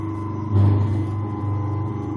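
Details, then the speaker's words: Century repulsion-start electric motor after shimming the armature end play with a 1.2 mil stainless shim: steady, even hum and low drone, earlier resonance gone, no knocking or rubbing; normal smooth running. "Smooth now. That's quieted down. It was getting that bit of a resonance in it."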